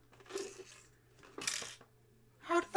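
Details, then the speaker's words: 1978 Commodore PET 2001-8 Datassette tape deck during cleaning and belt replacement: light metallic clinks in short bursts as the unit moves, a small part loose inside; owner suspects a spring, not confirmed. "Well, we're going to have to work out what that is, because I should imagine it's probably like a spring or something. Probably quite important."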